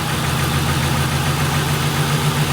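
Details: 1998 Ford Crown Victoria P71 at idle, running poorly since its engine was pressure washed; long sitting and rotten gas suspected of fouling the fuel injectors. Low pulsing idle with shaky uneven beat. The car shakes; rough idle.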